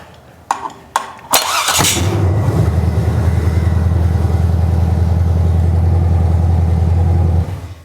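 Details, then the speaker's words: Cheapest junkyard small block V8 for a truck, first start: a few clunks and a quick crank, then it fires into a deep, steady, even idle with no misfire or knock; idles perfectly. "idles perfectly. Okay. Now I'm happy with it."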